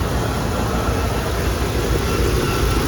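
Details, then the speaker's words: 27-year-old Dodge Ram 2500 after exhaust manifold repair (drilling, welding, extracting; number 6 cylinder had leaked badly): deep even idle rumble with no ticking or puffing at the manifold; no exhaust leaks; normal idle. "But now let's see. Nothing. No exhaust leaks whatsoever."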